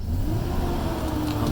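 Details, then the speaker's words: Truck in reverse with heavy throttle, before adding a transmission additive: the engine revs and holds a raised drone but the truck barely moves, so the transmission is slipping in reverse. "See that? I'm giving it gas and it's not even moving."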